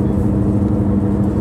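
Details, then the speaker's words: 2009 Subaru Outback while driving, audio amplified: a steady whirring/grinding drone under road noise that changes in volume and pitch with speed and has worsened over time. Worn rear wheel bearing, suspected on the passenger/right rear side, later confirmed. "it's clearly coming from the Rolling mechanisms of the chassis and it changes volume and Pitch with changes in speed"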